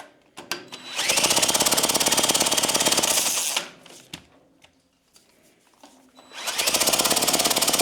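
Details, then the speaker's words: Early-1950s David Bradley walk-behind tractor engine, sat 20+ years, was stuck: quick even cranking with no firing; too little compression, later traced to a stuck exhaust valve. "it's just too much we don't have enough compression so try to loosen everything up see if it'll get a little bit more compression and we'll try it again"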